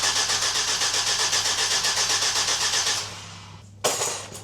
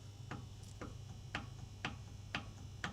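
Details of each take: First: Volvo V70 T5 after turbocharger replacement, coils disconnected and one turbo oil feed pipe left off: long even starter cranking near four beats a second, no firing, spun over to build oil pressure before first start. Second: Volvo V70 T5 burning heavy oil: sharp clicks about twice a second as the turbo shaft is rocked with pliers; worn shaft bearings with excessive play, turbo confirmed as the fault.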